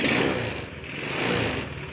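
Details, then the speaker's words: Honda Beat with a standard carburetted engine, fitted with a PE24 carburettor, after carb adjustment: the engine ticks over at a steady, even idle with no hunting or stumbling; normal idle. "Oke seperti ini ya Jadi bisa ditiru ya jadi Untuk idle rangsam rata seperti ini"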